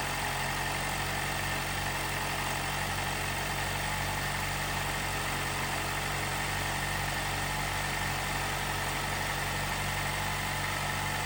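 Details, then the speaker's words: 2018 Jeep Wrangler JL, 2.0L turbo, after replacing the timing chain tensioner to cure a rattle on cold startup: steady, even idle hum with no rattle or tapping, timing chain now silent. "But the result is my engine is nice and quiet."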